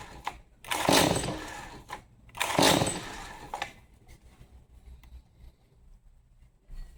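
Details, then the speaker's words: Stihl MS 180C chainsaw, won't start, choked: two rattling recoil pulls each whirring with no pop or catch; no firing, spark plug to be replaced with Bosch WSR6F, then fuel. "All right, still nothing. So, let's change out the spark plug."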